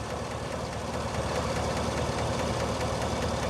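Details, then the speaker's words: 2017 Chevy Silverado 5.3 V8, about 131,680 miles, warm idle after 10 minutes running: fast light ticking about three per second from one side, silent when cold; lifters suspected, not confirmed. "cold I really didn't hear anything now it's been running for a little bit I definitely hear something nothing to see though but you can hear it and it's from this side"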